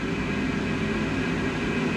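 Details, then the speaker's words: Cloudline S6 Infinity inline duct fan added to a Glowforge, on its controller at high speed. Steady airy whoosh with a low even hum, no rubbing, rattle or wobble; audible but quieter than the stock Glowforge fan. Runs normally. "high speed here it's definitely not as loud as the glow forge you can hear it but it's not super loud"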